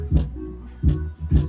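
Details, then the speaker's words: Polytron active speaker repaired after one channel went dead, before the case was fully closed up: clean guitar strums come through with full, solid bass and no crackle, hum or dropouts; the repaired channel plays properly. "ini sudah bunyi ini kenapa suaranya ini ini karena belum suaranya gender karena belum kita kunci"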